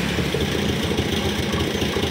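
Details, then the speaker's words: Honda Scoopy 2020+ scooter (same engine as the Genio, SF frame) stumbles and pops unevenly and won't pick up revs when the throttle opens. It is a severe misfire and won't ride; the cause is not yet found. "nah ini kendalanya yaitu e brebet ya teman-teman jadi brebet parah sekali nih"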